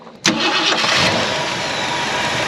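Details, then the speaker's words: 1968 Ford Galaxie XL, parked 38 years, after fixing cast rocker arms by shimming with a washer. It catches and settles into a smooth, steady idle, with the valvetrain tick gone and much quieter. "Oh, so much better. We need some rockers. I think we figured out our issue. We made it quieten it up."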